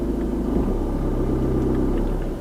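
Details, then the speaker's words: Manual car moving off, idling just below 1000 rpm with the heater blower off, clutch lifted to the biting point without gas: steady low drone dips as the clutch bites, then revs lift on their own as the car adds throttle itself to avoid stalling. "You hear the gas revving? That's the car doing the gas for me because it's saying, "Hey, you need gas. I need gas. I'm going to put the gas on for you. The accelerator is being done for you.""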